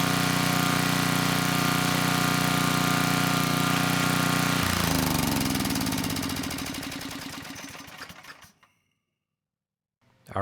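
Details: 10hp Tecumseh HM100 on a 6000 W Western Hemisphere generator with a replacement Oregon 50-656 carburetor: runs smooth and steady with no surging, then shuts off and coasts to silence. Normal running.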